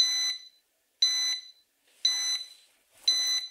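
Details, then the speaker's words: STC-8080A+ refrigerator thermostat controller, temperature sensor wire disconnected, alarm triggering one minute after the break: sharp high beep about once a second, four even bursts; sensor open-circuit alarm, unit runs in 15-minute-on/30-minute-off emergency mode. "Nó sẽ kích hoạt sau một phút kể từ khi dây bị đứt. Chúng ta sẽ tắt âm thanh bằng cách nhấn nút."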